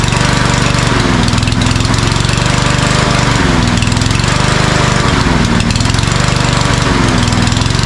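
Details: Cub Cadet self-propelled walk-behind mower, customer reports no power: after three primer pumps it runs roughly, speed sagging and recovering, then dies once the prime is gone. Fuel starvation from a clogged pilot jet or emulsion tube suspected.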